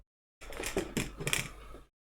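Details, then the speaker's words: Evercross e-scooter shaken by hand: light metallic clatters in short bursts inside the front housing under the screen. The owner suspects a loose screw that could cause a short; performance unaffected; loose screw rattle. "all right so you can obviously you obviously hear the rattle in there"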